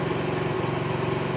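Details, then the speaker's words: Honda CD70 motorcycle just after fitting the carburetor, kick-started: small single buzzes at a brisk, steady idle without hunting; idle set too high after carb fitting, to be lowered with the carburetor adjustment. "जी तो दोस्तों यह जब motor bike का carburettor fit किया जाता है तो accelerator जो है उसकी हाई होती है हम इसकी पहले आरपीएम स्लो करेंगे"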